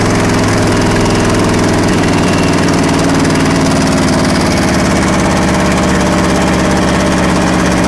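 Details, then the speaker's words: Long-abandoned 1963 Chevrolet C-20 stepside petrol engine, hot-wired, no fan or coolant: loud, steady low chugging that idles and accelerates on its own without stumbling. It has a driver's-side exhaust leak and the carb needs a rebuild. "all right this thing is a runner gotta fix that exhaust leak and uh fine-tune that cart will actually rebuild that carb but the thing was actually idling and accelerating"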